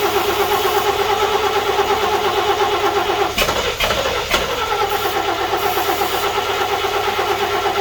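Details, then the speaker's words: 1941 GMC one-ton pickup, 230ci straight six, first start attempt after about 20 years: steady cranking with a short catch of firing that never picks up. It fires but won't keep running; possibly flooded, and the fuel pump still needs hooking up to feed the carburetor. "all right so we know for sure that this thing will fire i think the next step is going to be for us to get that fuel pump hooked back up so we can see if we can put some fuel into that carburetor and see if we can make it run"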